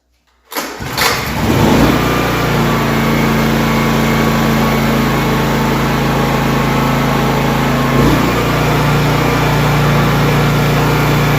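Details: Honda EB3500X generator after full service (carb cleaning, valve adjustment, oil change), loaded with a cutoff saw: fires after a brief crank and settles into a smooth even drone that stays steady as load comes on; normal running under load.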